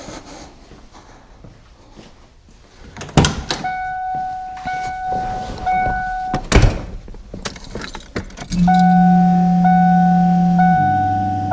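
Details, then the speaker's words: 1992 Ford Mustang LX, 434 stroker, MSD ignition box and A1000 fuel pump, key on before cranking: after door chimes, a steady low electric hum. The fuel pump is running normally with power, though battery voltage reads slightly low. "Fuel pump's on, you can hear it. Definitely has power."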